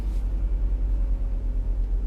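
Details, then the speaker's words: Renault ZOE EV just back after about six weeks at the dealer, climate in auto turned down to 20°C after defrost, camera on the windscreen: low steady rumble from the front as the heat pump winds down normally. "can hear the heat pump uh just kind of winding down a little bit uh at the front"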